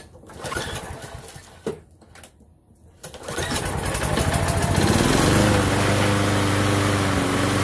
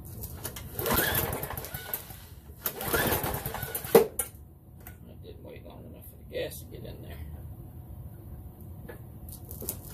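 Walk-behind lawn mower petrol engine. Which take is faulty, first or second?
second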